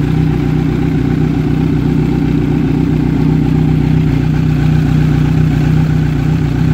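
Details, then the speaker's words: Kawasaki Z900 idling on its side stand, microphone at left then right side of engine: smooth, even idle at about four beats a second, no cam chain or rocker ticking; normal idle. "Ờ các bạn có thể nghe là cái tiếng máy nó có nó nó không có nó nó nó nổ cách quản nhau thì do cái xe của mình đang để là chống nghiêng"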